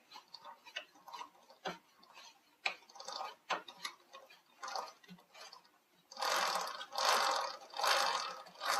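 Light, uneven ticking about once a second as the chain turns on the stand, then hissy bursts; a freshly cleaned, unlubricated chain.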